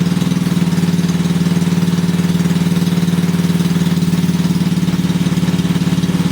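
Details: Briggs and Stratton 5HP single-cylinder engine running after the starter clutch (sprag) was replaced with a new one: a steady, even putt with a smooth, regular beat and no knocks or misses; it's running fine.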